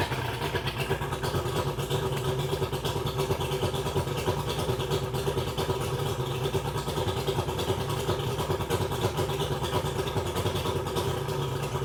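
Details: 2001 Mercury 200hp EFI outboard on a ProCraft Fish and Ski boat that will not go past 7 mph under load. It idles with a choppy, irregular, off-balance beat. Mechanic suspects it is not firing on all cylinders; not confirmed.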